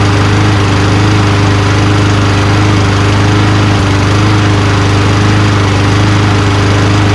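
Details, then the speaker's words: Old Toro Recycler Personal Pace push mower, Tecumseh single-cylinder, after tension slightly adjusted: steady constant-speed thump, mostly even with slight roughness; runs acceptably, not as smooth as new, fuel treatment may help. "Honestly, guys, I'm not messing with it. Runs just fine. Not as smooth as new, you know, like it kind of goes, you know, but running a little bit with some fuel treatment may clean it up a little bit."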